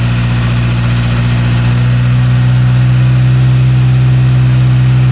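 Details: Idle of a Porsche 924 Turbo after replacing all spark plug wires; the distributor has a vacuum retard. Deep, steady idle with an even low drone and no misses; holds speed smoothly and runs clean.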